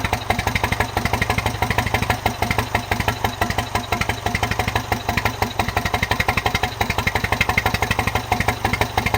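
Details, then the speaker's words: John Deere 1010 tractor with a new Zenith 12566 carburetor, full rewire and new exhaust, just started on choke and warming up: even, regular exhaust pulses at a steady fast idle with no misses or knocks, running cleanly for now. "Sounds really good. That new exhaust is saving my ears."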